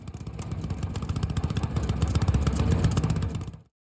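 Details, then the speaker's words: Honda GX160 single-cylinder on a Logic MSC120 sweeper, before service: lumpy chuffing thump as if on choke, with black exhaust smoke; blocked air filter starving airflow, causing incomplete combustion and rich running. "The engine's running like it's on choke at the moment, even though it's not. And we've got a little bit of black smoke coming out the exhaust, which suggests we've got uh blocked air filter."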